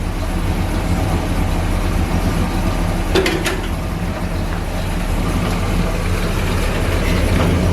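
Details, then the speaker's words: Barn-find vehicle idling after its first start in six years. Low, even, smooth rumble with no misses, knocks or hunting: normal idle. "i'm amazed that's running so well that's crazy they're so smooth aren't they that's weird"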